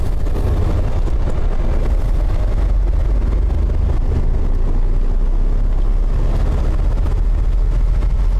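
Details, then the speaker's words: Large vehicle on a test drive after a rear brake job: a steady deep rumble with wind noise and no knocking or grinding from the rear wheels. The earlier noise is gone, but a vibration remains. "I'm pretty sure the noise is gone that I was hearing still have a vibration"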